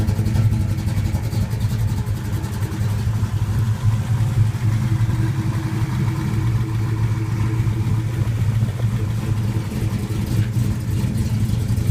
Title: 1972 Plymouth Duster 440 Six pack ( 6 pack) rough idle.